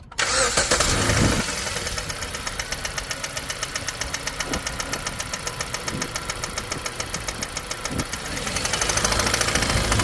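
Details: 2015 Jeep Compass 2.4L 4x4 at idle: sharp even light metallic ticking about 3.5 per second on top of the engine; cause not identified.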